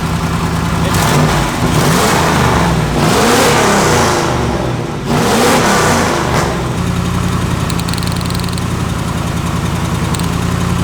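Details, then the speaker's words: 5.0 turbo V8-swapped Ford Ranger after burnout and road-course runs: lumpy idle with an uneven thump breaking the beat, apparently running on about 7 cylinders. A misfire is suspected; spark is confirmed at the plug and a compression test is planned. "Maybe it's this one. I think it's running about 7 cylinders right now. Here, you want to turn it off for me? I think we got a 7-cylinder Ranger."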